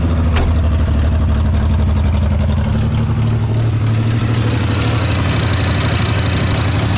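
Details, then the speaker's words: Ford Bronco II, long unrun: low lumpy idle with an uneven beat about three pulses a second, stumbling as if missing on a cylinder; owner suspects air still in system; misfire at idle. "It hasn't been running in quite a while, so we'll let it run here for a little bit. It is missing, but it is running."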